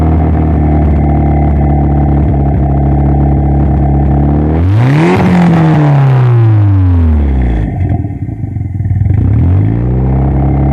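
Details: Toyota ST205 engine: lumpy idle, then a quick rev and fall with an uneven, chuffing beat through the climb; misfiring, cause unknown.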